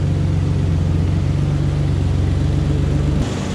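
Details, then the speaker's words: Ford Ranger idling after muffler replacement to cure a loud exhaust: deep, steady low rumble with no rasp, rattle or roar, only normal engine noise; normal exhaust idle. "Now all I hear is the engine noise. Which I think is normal. So I'm gonna call that a win."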